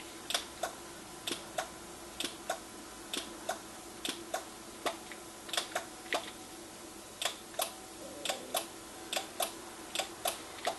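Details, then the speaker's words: NuTone IMA4406 intercom master station on the bench, intercom volume at maximum with one remote station: sharp dry clicks about every half second over a faint hum as the audio/intercom direction relays chatter. "And those are the audio intercom relays that are inside the master station, and all of the audio, and audio meaning music, and all of the intercom conversations go through those relays, and they control the direction of the relays and all of that."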